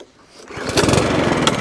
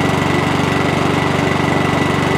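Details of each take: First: 2017 HP hand-propelled 185 lawn mower, shaky with suspected bent crank: catches on pull, runs ragged about a second then dies, pointing to a carburetor fault. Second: Good to go. Quick little check over. She's a runner.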